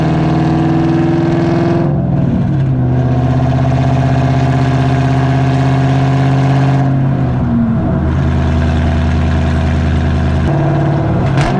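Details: Cammed SN95/New Edge Mustang GT V8 after fitting an IAC restrictor plate, GoPro on rear bumper while driving; burble drops back quickly and settles to a steady idle after each rev, no hanging revs; normal return to idle.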